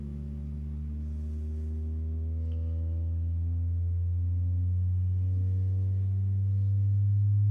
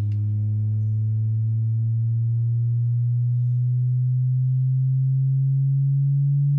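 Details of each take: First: New Pioneer TS-A6886R speaker in a 2007 Ford F250 crew cab rear door, sweep test from about 40 Hz: pure low tone climbing evenly and cleanly, good range. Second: Driver-door speaker in a 2007 Ford F250 Crew Cab 6.0L turbo diesel: a low test tone sweeps upward and sounds buzzy and distorted instead of clean.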